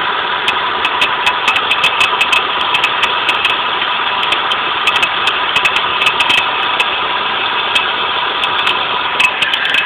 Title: Volvo 850 bad idler pulley